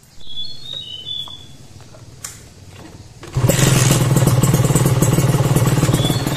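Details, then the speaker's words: Carbureted motorcycle deliberately set with an oversized main jet: after starting it settles into a heavy, burbly, slightly boggy beat of about four pulses per second; rich mixture from the too-large main jet. "dan sekarang saya praktekkan Gimana kalau mainnya terlalu gede ini diam aja terlalu gede Seperti apa gan"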